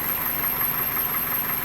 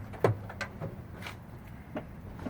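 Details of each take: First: 2001 Toyota Corolla 1.8 at idle: steady, even idle with no stumble or skipped beat; all cylinders firing cleanly and the engine sounds healthy. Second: 2001 Toyota Corolla 1.8, four-cylinder, manual: cranks and catches then uneven stumbling idle with irregular beat; cylinder 3 misfire confirmed by injector/diagnostic test, burning much fuel, no codes.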